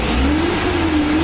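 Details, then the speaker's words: Suzuki Carry 1.5 injection after repairing overheating caused by a corroded aluminium engine block, running about an hour after repair: smooth rev rising and falling evenly, no knocks or misses; overheating and coolant spurting are gone. "hampir mungkin 1 jam kita hidupkan dan mesinnya ini halus dan mesin ini Sudah sembuh teman-teman Sudah tidak mengalami overheat"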